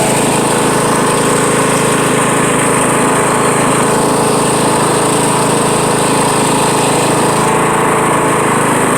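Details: Riding mower with the deck lowered: loud, harsh, steady grinding over the running engine from the deck; after reassembly the deck belt was found loose.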